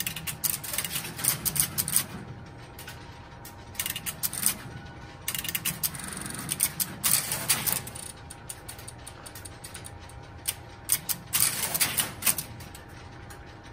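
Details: Crossbar call that failed to connect: bursts of rapid clicking and ratcheting relays between quiet gaps over a faint steady tone as the switch train works through the unsuccessful attempt.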